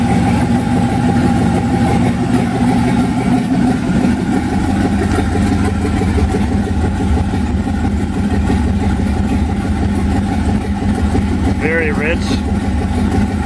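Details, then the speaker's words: 1991 Mazda B2200 with rebuilt 6.0 LQ4 V8 swap, twin turbos, 80lb injectors, stock 2002 GM computer on 2-bar SD base tune, first startup: loud, lumpy, irregular idle with assembly lube smoking off; rough running, still needs tuning. "open a cop still needs to be tuned but very exciting to hear the motor finally run after rebuilding the stupid thing"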